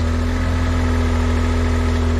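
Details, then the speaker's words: Japanese Kei mini truck, off the road for some time, old crumbling air filter foam, started with a squirt: small engine idles on its own with constant even hum, no misses. "It's running on its own. This thing's been off the road for quite some time."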